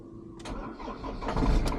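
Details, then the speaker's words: Ford Transit Mk7 2.2 FWD diesel, morning start: cranking starts fast then slows like a flat battery, starter spins out without engaging, then catches into rough idle with some smoke; owner suspects starter motor, later fixed. "Started fast, then got slower. Ignition again. And then the starter spun out. It didn't really engage."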